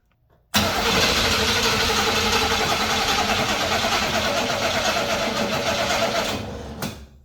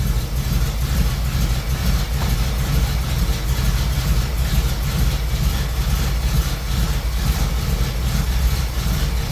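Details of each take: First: Old small-block Chevy V8 that had been sitting, cranked via AstroAI jump starter in boost mode: starter churns steadily about six seconds without catching; long no-start crank, attributed to sitting unused, started on next try. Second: Old small-block Chevy V8 that had been sitting, just started with an AstroAI jump starter after extended cranking, in garage: deep, low rumble at steady idle, no misses or ticking; idling normally.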